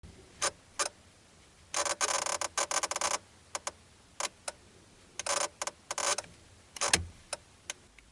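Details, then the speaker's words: Mitsubishi Magna/Verada indicating right: irregular sharp clicks breaking into bursts of rapid chattering buzz, from faulty flasher relay under the dash, not the indicator stalk. "the indicator when indicating right would make a buzzing noise wasn't the indicator stalk making the noise it's actually the relay up under the dash or the flasher unit"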